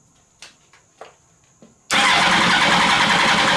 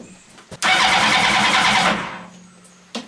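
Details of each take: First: Motorcycle engine in mini trophy truck build, compression test, throttle wide open: fast, even cranking about three and a half beats a second, no stumble; cylinders read about 180, owner believes good. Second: Motorcycle engine in a 4WD mini trophy truck build with an aftermarket eBay ignition key: starter cranks evenly but it never catches, no spark, FI light flashing with code C42 ignition switch anti-theft (immobilizer) fault.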